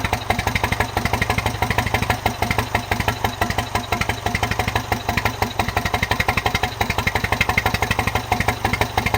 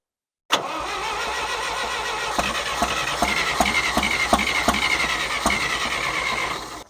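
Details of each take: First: John Deere 1010 tractor with a new Zenith 12566 carburetor, full rewire and new exhaust, just started on choke and warming up: even, regular exhaust pulses at a steady fast idle with no misses or knocks, running cleanly for now. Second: John Deere 1010 tractor after new Zenith 12566 carburetor and full ignition rewire: steady cranking about three turns a second without firing because the fuel tap was off; sounds better once fuel is turned on.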